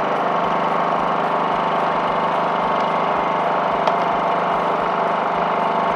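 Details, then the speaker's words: Honda 2000 generator that had surged at idle after sitting with old fuel in the tank, now idling evenly at one steady speed after carburetor work and reassembly; surging fixed. "just listen to that baby purr what an improvement rarely do my diy projects go this smoothly this may be the best in recent memory"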